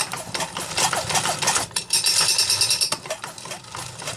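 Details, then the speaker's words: Homelite Super XL 925 chainsaw, compression about 100 psi, overheated piston, would not run, turned over by hand: dry rough rasping rattle with uneven ticks each turn, some bearing movement; dry crankshaft bearing noise. "there's definitely some internal engine damage on this bad boy and the way those bearings sound so dry yeah I think"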